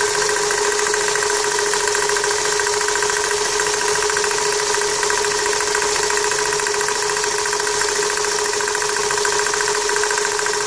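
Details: 1999 Toyota Corolla at idle: an intermittent, uneven light knock about twice a second, seemingly from the power steering pump pulley, which is tight; the owner suspects the pump bearings or the belt tensioner.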